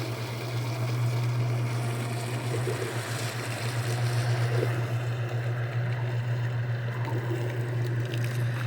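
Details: Washing machine just after replacing the leaking drain pump, tested with a makeshift lid switch: steady low electric hum at constant pitch, no rattle or grinding; the new drain pump runs normally while pumping out.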